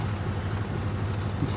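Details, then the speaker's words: New 2023 CFMOTO UForce 1000 XL, hard to start in cold, after clearing check-engine codes: fires right up, briefly rough, then settles into a low, steady, even idle; normal. "fired right up it's still kind of running rough it might clear up though yep it's smoothing right out I can hear it"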